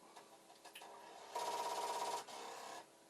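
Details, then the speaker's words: Commodore 1541 disk drive with two mysterious added switches: rapid rattling buzz of the head knocking repeatedly against its stop, constant and not settling; the light should flash and knocking stop if it recovers. "i don't want no part of this because it's very constant and but the head banging sounds good see what it should do if it suddenly decides it's okay is the light should just start flashing and the head banging should stop"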